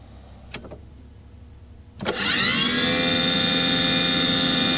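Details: Aqua Hot 400D RV boiler burner: a click, then the motor spins up to a steady high whine with no flame rumble or smoke. It fails to ignite. Owner suspects air in the system starving the nozzle of fuel, so the CAD cell cuts it off.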